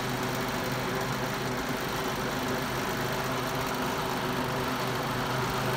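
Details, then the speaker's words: 1971 Galaxy Model 3700 12-inch two-speed box fan on tilting stand, running on high: steady motor hum with a low buzzing shake; vibrates noticeably on high speed but not on low, cause not evident. "I didn't really vibrate on it's just hired really vibrates back home"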